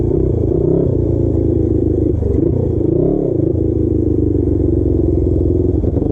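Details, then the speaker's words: Custom Suzuki GS450 scrambler, warm on a ride, breaking up. Uneven, stuttering note with dips as revs rise: a misfire under acceleration. A dying ignition coil was later found, with the head gasket also being replaced. "like a little bit between two and three thousand rpm you know it would come back down then it'll go back up anyway so I kept riding it kept riding it and then it started to get noticeably batting noticeably worse"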